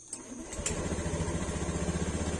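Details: Honda Scoopy fuel-injected scooter started after fitting a genuine AHM fuel pump and reconnecting the fuel hose: catches right away and settles into a quick, even putter at idle, no stumbles or knocks; normal start and idle.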